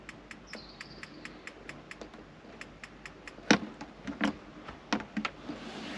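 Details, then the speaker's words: Gas fridge in a VW T28 TDI Leisure Drive Vivanti camper, gas just turned on from the bottle under the cooker: sharp light igniter clicks a couple of times a second while gas purges through a small burner; burner not yet lit. "It's only coming through a small burner, so it does take a while to purge through. It's got to come all the way from that gas bottle under the cooker."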